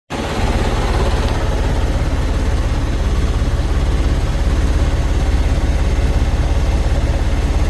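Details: Cummins ISX15 diesel at idle; deep, uneven, lumpy beat at about three pulses a second with white/blue smoke; misfire on 3 rear cylinders, compression leaking out, caused by a damaged cylinder head.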